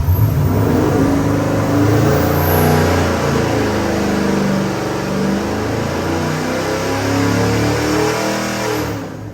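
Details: Customer's freshened 441ci LS7 stroker V8 (re-ringed, new bearings, heads redone, new port-matched intake, same cam) on the dyno before a final 6,500 rpm pull; strong roar pulls steadily up, no misses, knocks or rattles, a normal full-throttle run.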